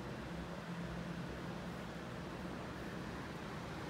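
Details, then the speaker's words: Emerson Strato-Jet ceiling fan, new in box, on full high power after a quick spin-up: steady even rush of air with low hum, no ticks or rubbing, though it shakes a little; moves a tremendous amount of air, normal high-speed operation. "So at this point, it's moving a tremendous amount of air. I can feel it all over the apartment. It's like a whole house ceiling fan."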